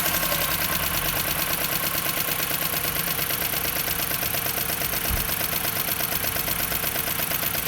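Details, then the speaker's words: Jeep Patriot 2.4 knocking for 1,000 km, exhaust valve clearances measured 0.30–0.55 mm; sharp, even metallic ticking about three per second over idle: valve train knock from heavily worn camshaft with scoring on the cylinder head. "Но оказалось, что очень большой износ шейкера с предвала. То есть большие очень задиры и на головке блока цилиндров."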